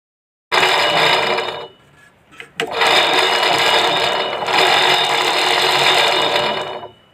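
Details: Sewing machine running in two fast bursts with a loud, harsh, high-pitched clatter, far noisier than a normal hum; excessive running noise, later brought back to normal, cause not stated.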